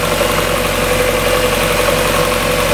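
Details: 1994 Mazda Miata four-cylinder started after sitting over winter; steady, even idle with a smooth hum and no knocks or misses, idle boost working.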